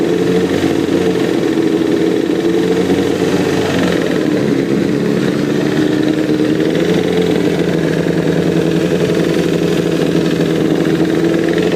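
Light, quick ticking rides over the motorcycle engine and speeds up as it revs; source of the tick not pinned down.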